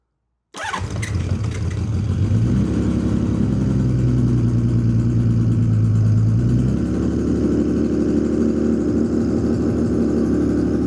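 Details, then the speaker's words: 1979 Honda CBX inline-six, first start after rebuild, no airbox, on choke: engine catches and settles into a fast idle with a ticking puff; exhaust leak at header pipe number three from a pulled-out exhaust stud, to be re-threaded. "That way I can tighten down the exhaust because I do hear a little bit of an exhaust leak coming from header pipe number three."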